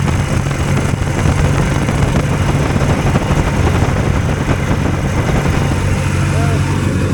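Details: Two-cylinder hovercraft engine held at a deliberately high idle because the drive pulls a fan load constantly; loud, steady drone at a fast unchanging speed with no dip toward a proper idle.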